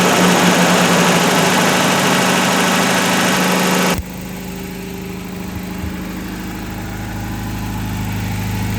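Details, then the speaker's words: Toyota 22RE replacement long block from a '92, truck at 204,138 miles, first run burning residue off the exhaust: loud burst, then quiet even idle with faint regular injector ticking, no belt noise; healthy. "wow it is quiet burning off some stuff from the exhaust as you can probably see there no spool from the belts"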